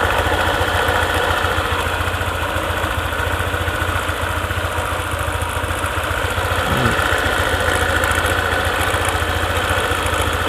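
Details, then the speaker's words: Honda ADV 150 scooter idling, with a rough, irregular crackle (krek-krek) from the CVT area. It disappears when the throttle is opened and returns after a while back at idle; the cause is not yet known. "Nah gitu suaranya, ada krek-kreknya. Coba digas lagi, hilang. Tapi nanti agak lama dikit, bunyi lagi, bunyi krek-krek-krek."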